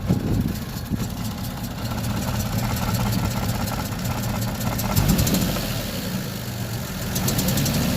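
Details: Toyota 2JZ-GE engine with a distributor, running: faint, uneven tapping over the idle. A knock is present, cause unknown.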